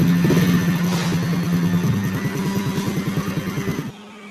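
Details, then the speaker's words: Honda Absolute Revo motorcycle at idle before cam chain replacement: fast, uneven metallic clatter about three a second, coarse noise from the left side at idle and when throttle is opened; a worn, slack cam chain. "jadi suaranya seperti itu timbul suara kasar di bagian sebelah kiri ya mau langsam ketika ditarik gas itu timbul suara kasar"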